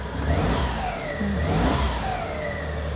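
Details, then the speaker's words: Suzuki Cappuccino right after plug-and-play aftermarket ECU install: uneven, ragged, hesitant revving; ignition suspected advanced too much, not confirmed. "almost sounds like the ignition's advanced a little bit too much yeah try again it does sound different"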